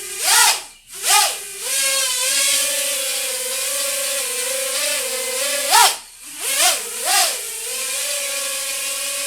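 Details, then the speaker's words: iFlight Nano 1206 4500kv brushless motors on a flying quad: high whine swoops with throttle bursts, faint rough vibration underneath; one of the four motors has play in its bearing. "you hear that little bit of vibration I'll show you that in a second I'm not a huge fan of that one of these motors has a little bit of play in the bearing yeah that's right"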